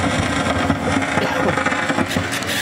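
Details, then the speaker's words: Williams System 6 Scorpion pinball, volume turned up: loud hiss and crackle with transformer hum under it drowning game sound through the speaker; suspected failing filter cap, not confirmed. "that's our volume control you turn that up and all you get is static i mean you can hear the sound in there isn't that lovely"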